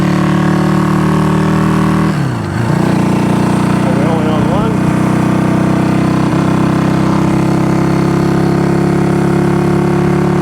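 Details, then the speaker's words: Honda CB200T twin after camshaft and valve replacement, first ride, oil on exhaust wrap smoking; low lumpy idle with uneven beat and brief rev blip, seemingly firing only on the left cylinder, old spark plugs suspected; misfire. "one yeah we're only on one sounds like we're only on the left which we'll get it sorted yeah sounds like we're only on the left"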